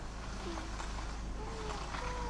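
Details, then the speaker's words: Lexus RX300 steering wheel turning: thin wavering cat-like meowing squeak that seems to come from the steering column; actually the steering shaft boot rubbing at the firewall near the brake pedal. "слышно Вот и все думают что это где-то изд руля отсюда действительно такое ощущение что он как будто из колонки рулевой откуда-то идёт там резиночка"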